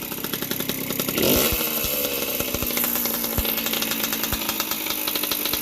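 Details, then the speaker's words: 1981 Yamaha YZ60H two-stroke rescued from dump, carburetor cleaned, needle and jets checked: crisp idle with a quick blip near the start, then steady popping settles evenly; warmed up and running clean. "It's all warmed up nicely. Yeah, pretty happy."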